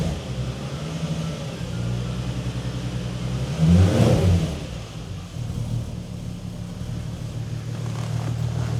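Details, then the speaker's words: Roughly 20-year-old VW Golf R32 on first start after timing chain replacement, jump pack attached: smooth, even idle with one brief rev blip, no ticks or rattles from the front; runs perfectly, like a little sewing machine. "you what, that sounds all right. It's like a little singer sewing machine. That sounds perfect, that does. It does sound perfect."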